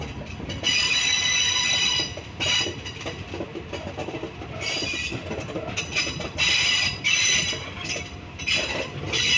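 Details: Train 251 leaving Salaya station: loud, high-pitched wheel flanges squealing and creaking in waves as they grind against the rail.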